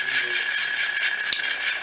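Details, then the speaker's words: Ceiling fan with broken ball bearing at any speed: continuous high, scratchy rattle with a thin steady whine over the running fan; noise traced by opening the fan. "e faz esse barulho e em qualquer velocidade da menino"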